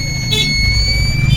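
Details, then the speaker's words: Inverter (solar inverter) PCB with a fully burnt circuit, after fitting a 7805 regulator, filter capacitor and repairing the relay section: steady unbroken high-pitched beep over a low hum, no other indication; microcontroller appears okay, cause not confirmed; continuous fault beep. "तो दोस्तों यह inverter beep sound भी कर रहा है बात करने में मजा नहीं आ रहा है"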